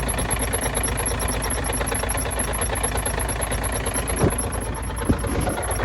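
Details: Truck diesel at cold idle after an exhaust repair: a thin, high chirp about five times a second near the front cover, heard at start-up and gone later. Cause: crank damper dust boot rubbing the front cover.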